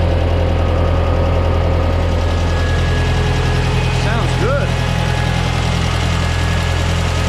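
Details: 1968 Ford 5000 diesel tractor, barn find sat 10 years, first run after restoration work: steady, deep diesel idle with an even low beat, no misses or knocks; running smoothly.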